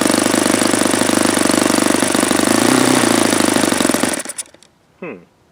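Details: Saito FA-72 four-stroke glow engine, first run, plastic-throttle-arm carb: steady fast buzz cuts out within half a second when fuel line pinched, though it shouldn't die; raw fuel coming out, owner suspects carb or own setting.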